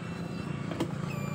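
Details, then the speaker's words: Honda Beat ESP scooter that would not start (battery too weak to crank, fuel low, 2 litres added): steady low electric hum of the fuel pump priming at key-on, sounding normal. "Oh, untuk pompanya bunyi."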